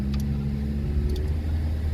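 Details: Car that idles fine, driven on a street: steady low road rumble and tyre drone, no clear knock. It shakes, and the steering wanders back and forth hands-off from severe wheel misalignment; exact cause unknown.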